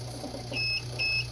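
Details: Inverter beeps twice, about half a second apart, over a low hum as it fails to start the load. The owner suspects it needs a second set of booster cables; not confirmed.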